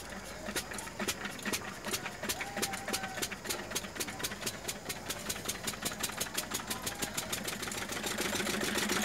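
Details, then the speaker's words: Lister-type Field Marshal 10HP diesel after broken idler gear replaced and timing set: crisp, even chuffing about three to four beats a second, no misses or knocks; running properly, whole system fitted. "कि यह हमारा engine देख सकते हैं आप इसकी चाल ढाल चलना कैसा चल रहा है कैसा स्पीड है इसका वैसे ही आप इसको फिट कर सकते हो लेकिन हमारा इंजन पुत्र और भी चल रहा है सारा कुछ सिस्टम फिट बैठ चुका है"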